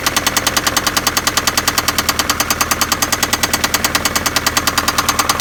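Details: Daewoo Nexia engine running with a sharp, even mechanical knock about three per second; engine knock, cause not yet pinned down.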